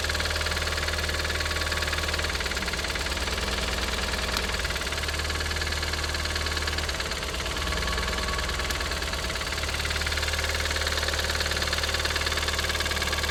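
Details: Audi TT 225hp (BAM engine) at idle: a fast, light rattling tick of about three per second persists after replacing lifters, chain tensioner and full timing. Compression reads 6.5, 8, 10 and 10 bar; source unclear.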